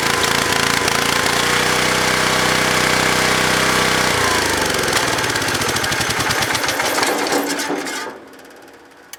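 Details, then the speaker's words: Kohler K341 single-cylinder engine, previously broken, started in cold weather on a low booster pack: uneven, lumpy beat about four pulses a second, then dies away; rough running, carburetor flooding, oil and grime burning off, owner suspects a leaking breather gasket; needs tuning. "so some tuning is required and obviously just a lot of oil and grunge and crap burning off of it and I would imagine some of that's a breather leaking"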